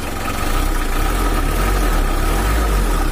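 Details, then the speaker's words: Factory-standard Mitsubishi L300 4D56 diesel, not tuned since 2016, weak on hills and slow to pull: steady idle with a coarse, uneven clatter over a low drone. The mechanic suspects something inside. "Ayo kita coba hidupkan Taylor suaranya masih standar akhirnya masih bagus dan ada suara kasar mungkin itu Teenebelle atau apa di dalam situ nanti kita cek"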